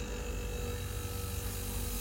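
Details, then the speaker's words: Refrigerator that was not cooling, compressor previously stuck (hot, overload clicking, would not start), after refrigerant drained and compressor jumpered: compressor now runs with a quiet steady low hum, current dropped to 0.7 A; normal compressor running. "kita paksa ya Nah di sini untuk mesin kompresor sudah hidup teman-teman ya Nah di sini perhatikan di sini ampernya sudah turun di 0,7 teman-teman"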